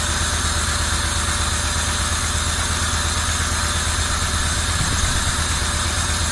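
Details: 1990 Camaro RS after 12–13 years sitting, new fuel pump, plug wires corrected to firing order, timing not yet set: steady even idle with smooth low rumble, no knocks or misses; normal idle.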